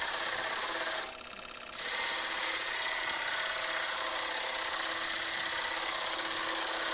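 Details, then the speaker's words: Wood lathe spinning a cloth-covered jam chuck while turning a 7 mm tenon on a maple burl piece: fast, even light tapping, about four taps a second, over a steady spinning hiss; the loose cloth is flapping. "now that tapping noise you can hear is actually the material on the jamb chuck flapping on the"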